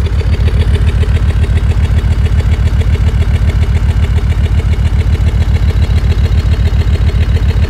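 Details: Land Rover Discovery 2 Td5 diesel idling below operating temperature: heavy pulsing beat with an uneven rhythm. Temporary misfire that eases to normal idle, shorter as it warms; owner suspects ECU fuel cut or cold protection.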